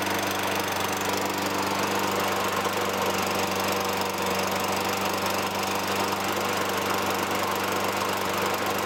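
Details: 2003 Toro Recycler 20016 with Tecumseh 6.5 engine, a trash find, runs after carb cleaning and gas-tank debris removal. It gives a smooth, even drone at constant pitch with no misses or knocks. A little smoke lightens as it runs.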